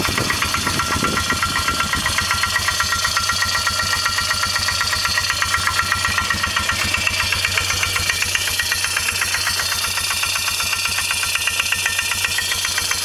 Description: 2002 Polaris Magnum 325 4x4 engine knocking after cold start.